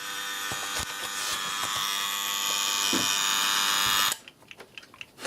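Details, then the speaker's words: Osaki TY 11 time switch motor running on the bench: harsh steady high-pitched buzz with whine, cutting off after about four seconds when unplugged; very noisy but working. "you can go to the power ball where it is in the middle of the shop and it's a time switch making this sort of noise"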